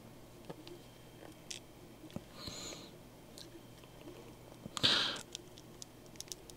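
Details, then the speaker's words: WPL C44KM metal-edition RC truck, freshly greased brass gearbox turned by hand: faint crackly clicks from a rough, tight gear mesh that is expected to wear in. "Das ist Messing, das wird sich schon einarbeiten."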